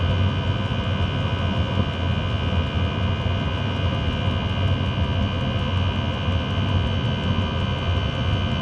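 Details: Chinese diesel heater in a Talbot Express motorhome, running after an attempt to quieten it: constant jet-like roar with a steady whistle; only slightly quieter, owner suspects the motor bearing.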